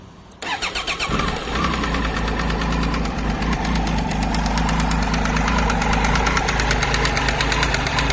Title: Triumph Tiger 800 XC 2013 ticking sound from the engine